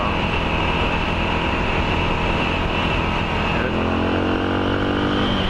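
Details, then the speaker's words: Suzuki DR650 single with new 24F0A exhaust, Procycle headpipe, rejetted with Procycle jet kit, snorkel removed and airbox drilled with Uni filters: steady, clean, even exhaust beat, no rattles or misses; normal running. "It sounds good, and I opened up. While I was working on it, I rejetted it with a Procycle jet kit."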